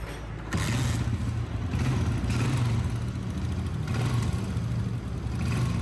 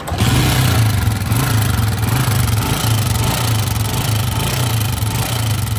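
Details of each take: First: Honda CG 125, 2011 model, after top overhaul for noise and smoke, oil pump checked and silencer washed: low even single-cylinder idle thump, smooth steady beat, only faint top-end clatter; normal idle. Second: Honda CG 125, 2011 model, with engine noise and smoke issue, before top overhaul: single at lumpy idle with uneven light ticking over low thump, rising with revs; valve train noise.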